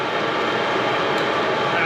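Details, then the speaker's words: Chinese 12V 5kW diesel air heater (maXpeedingrods) just switched off: steady airy fan rush, and the fuel pump ticking has stopped. The fan runs slightly slower through the normal cooldown cycle as the exhaust temperature drops. "you can hear the fuel pumps kicked off the exhaust is almost gone in temperature the fan is dialed down a little bit but it's definitely running just to start cooling the unit through and run into its cooldown cycle"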